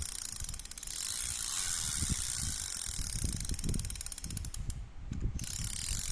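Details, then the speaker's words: Used Japanese Olympic Zebra-5000 (W-98) spinning reel: rapid, even ratchet clicking that follows crank speed; the anti-reverse engages cleanly and the reel turns forward and backward normally. "กลับทำงานปกติหมุนเดินหน้าถหลังได้ครับ"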